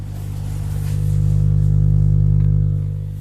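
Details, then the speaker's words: Home theatre 2030 amplifier board driving an 8-inch speaker: a loud, steady low hum with a buzzy edge swells and eases, and reportedly stops when the heatsink is touched; mains hum from faulty rectifier diodes. "तो अब देख सकते हो यह कितना humming कर रहा है"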